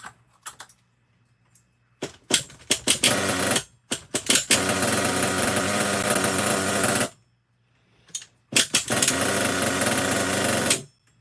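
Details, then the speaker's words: Used nitro RC truck engine, fuel being run out of the line, carb likely still has some junk in it: short bursts of high raspy buzzing that catch and cut out cleanly, revving evenly; sounds fine, though idle could be a little lower. "idle could be a little bit lower. Other than that, I don't think it sounds too bad."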